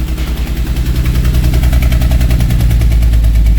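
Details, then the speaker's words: 2010 Volvo XC90 six-cylinder misfire at idle: rhythmic stumble of uneven thumps about 3.5 a second with the engine shaking, caused by bad coil packs, one melted inside; fixed with new coils and spark plugs. "Can you hear that? How that's running funny? See how the engine is shaking? That's because bad coil packs."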